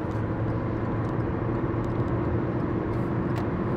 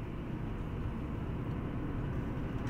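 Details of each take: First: 2015 Hyundai i20 1.2 at 222,000 km on pre-repair test drive in town: under road noise a steady low drone swells and eases with road speed, wheel bearing noise; mechanic suspects a bent wheel, slight vibration above 120 km/h. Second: 2015 Hyundai i20 1.2 at 222,000 km on post-repair test drive after new discs and pads, earlier bearing noise: steady road and tyre rumble, no grinding, humming or clicking; mechanic reports no noise, wheels quiet.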